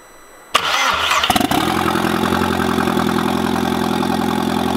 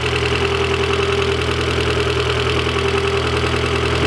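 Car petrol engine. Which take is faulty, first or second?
second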